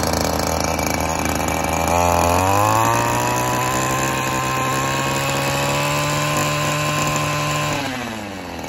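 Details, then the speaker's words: Stihl FS 94R two-stroke trimmer, cold first thing in the morning after a tune-up, during carburetor adjustment: steady buzz, revs climb and hold with no stumble; the midday bogging and occasional shut-off the owner reports aren't showing yet. "so i don't know guys it's kind of hard to tell just because it's not blocking down right now at the moment it's first thing in the morning just started it up um and i really thought it was going to be bogging down"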